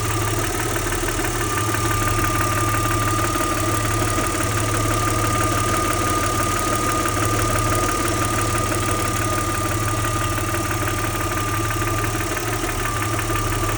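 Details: Audi 80 V6 2.6 at idle: steady idle with a light, fairly regular clatter of about three per second over the hum. Engine ticking or knocking, cause unclear.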